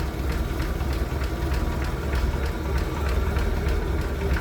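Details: 1965 Ford F100 project truck, inline six with one-barrel carb and newer plugs, idling with the hood open: steady low idle with a light, even tick about every two-thirds of a second, no misses or knocks; runs healthily.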